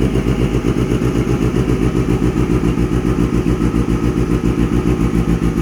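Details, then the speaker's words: Kawasaki ZX6R streetfighter after fuel pump problem resolved, start-up; deep steady exhaust burble at even idle about three and a half pulses a second, no knocks or misses; normal idle. "so that's what she sounds like absolutely amazing"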